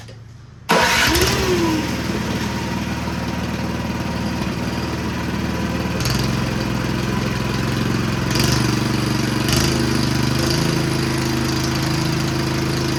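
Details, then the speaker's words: Snow blower small engine, just bought used, fires straight up then idles rough with beat changing and speed hunting; cause undiagnosed, later seen puking thin oil from the PCV breather, owner wonders if overfilled with oil. "and I'll come back and revisit this because it may take a little longer than I anticipated to diagnose why it runs like that"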